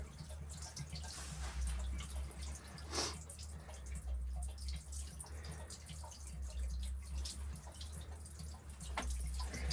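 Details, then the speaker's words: Shallow well pump shut down for winter on a damp 52°F November day: with air let in to drain its body, quiet irregular drips and soft gurgles sound over a low hum as the pump body drains. "I want to get the water out of the uh pump body so I'm turning this on that's should drain the pump I think you can hear it gurgling"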